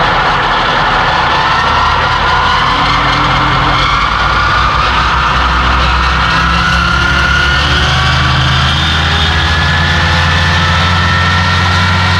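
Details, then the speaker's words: Massey Ferguson 2850M power shuttle compact tractor (48.8 engine hp, 38.1 PTO hp) driving a DM164 disc mower at 540 PTO rpm, about 2400 engine rpm: loud steady roar with high whirring from spinning cutter discs, even throughout; normal. "we'll take it up to the 540 rpms right there about 2400 and that's going to be where you operate the mower and you can open the back panel you can hear it running if it sounds like a 747 taking off it's right"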